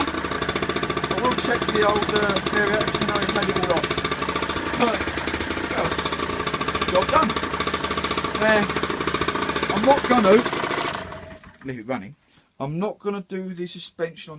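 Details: Peugeot Speedfight two-stroke moped, previously non-starting, after carburetor service with main air filter back on: buzzes at a fast, steady rate about eleven seconds before shutting off; starts and runs cleanly.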